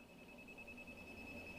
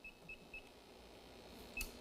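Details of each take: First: New vehicle with about 8,000 miles: leak detector probe at service port gives steady thin high-pitched beep, showing refrigerant leak at the schrader valve; returning to dealer for likely schrader valve fix. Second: CO2 leak detector warming up beside an evacuated A/C system (no refrigerant) about to be charged with 200 psi CO2: a few quick high-pitched chirps, then a lone beep over quiet room hiss before it enters sensing mode.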